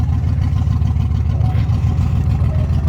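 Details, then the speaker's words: Land Rover picked up from a private residence for transport, running. A deep, uneven throb of about three pulses a second with no steady rhythm; it sounds terrible and runs rough, cause not known. "It's a Land Rover that sounds terrible, you guys. It sounds awful."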